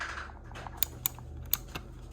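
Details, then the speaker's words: Frigidaire LFSS2616TF0 refrigerator water dispenser after replacing the broken lever arm: four sharp clicks in about a second as the lever hits the switch that lets water out, clean snaps with no rattle; normal switch clicking. "You'll see it hit the switch. Boom. You hear it clicking? Kind of see it. And that's what lets water out."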